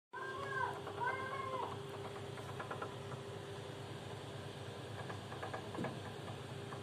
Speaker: Şimdi öncelikle Arkadaşlar bu ses geldikten sonra tabii ki servisi aradım servis geldikten sonra bu sesin kaynağını kombin kombin içerisinde şu kısımda arkadaşlar 3 yolluğu valf diye bir cihazın içerisinde